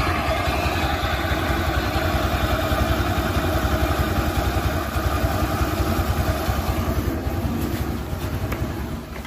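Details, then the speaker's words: 2010 Suzuki Access 125 scooter, about 14 years old, after new belt, new clutch rollers and petrol-cleaned clutch: even low thrumming idle with steady firing beat, no knock or rattle; engine noise fixed. "इसलिए दोस्त आप देखिए, मेरा engine बहुत शोर है। चिकना कर दिया गया।"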